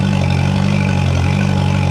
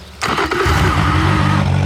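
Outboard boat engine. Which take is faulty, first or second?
second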